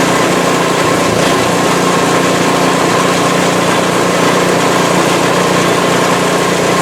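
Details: PowerSmart 24" snowblower in its ninth season, first start for 2024–25 winter, left running after a sidewalk test to burn off fuel; small single-cylinder engine holds a constant, even buzz with no surging, sputter or rattle, healthy.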